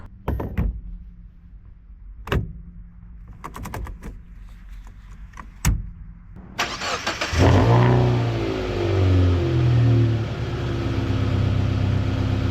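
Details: 2000 Mazda Miata NB first startup after clutch slave cylinder replacement and bleeding; cranks, fires promptly, settles into a steady, even idle with no knocks or misfires; good oil pressure, water temp slowly rising.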